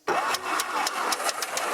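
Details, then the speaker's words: 1949 Beechcraft A35 V-tail Bonanza, not started in about 7 years, cranked via jumper wire: starter spins prop with steady puffing about four per second, nearly catching but never firing; cranks but does not start. "It acted like it wanted to start."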